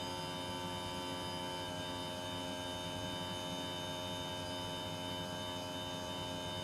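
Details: Panasonic split-system air conditioner running far noisier than it should: loud steady drone with a constant layered hum that never varies in pitch; cause unclear.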